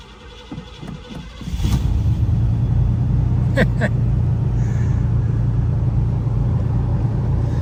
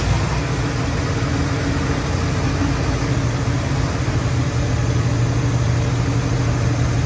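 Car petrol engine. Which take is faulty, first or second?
first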